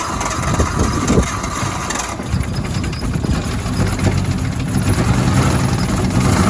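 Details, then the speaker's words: Nissan Cefiro RB25DET with a long-running misfire, after new spark plugs: uneven, stumbling idle with irregular dips in the pulses; one cylinder dead, later traced to a cut ignition coil wire, not the plugs. "here we go time to see if this thing has no longer a miss"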